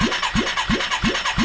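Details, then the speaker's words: 1989 Yamaha Moto4 350 rebuild, original unlapped valves, cranking on starter with compression gauge, about 90 PSI, fairly dry cylinder; even rhythmic chuff about three times a second, no firing or knocks: engine cranking during compression test. "We are at I'm going to call it 90 PSI. Probably a fairly dry cylinder."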